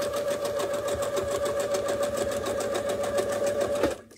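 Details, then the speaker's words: Sewing machine during free-motion quilting demo, speed set to half and pedal fully down, fabric moved at regulated pace: even rapid ticking about seven stitches a second over steady motor hum; normal running at half speed, stitches look better. "i'm not going to try to keep up with my machine i'm going to make it do its work but i'm going to sew at a nice regulated speed"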